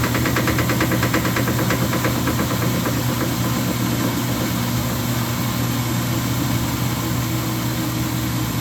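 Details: Speed Queen TR washer running: heavy uneven clunks, about three a second, over a low motor hum, caused by a drive pulley loosened by its pulley nut.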